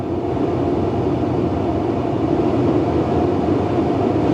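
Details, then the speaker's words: 2013 Tesla Model S P85 blower at high fan speed with heater blasting heat, after blower resistor and DC/DC converter replacement: steady, smooth low whoosh with no ticking, scraping or wobble; blower healthy. "I think it goes up to 11. Wow. Yeah, good Lord have mercy. Yeah, that thing is blasting heat."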